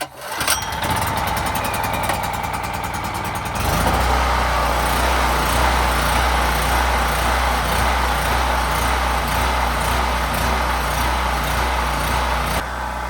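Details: Champion 3500W generator bought in 2013 and never used, stored outside under cover, with first-ever oil and fresh ethanol gas. Pull start on choke: brief cranking, then it catches and settles into a steady, even run.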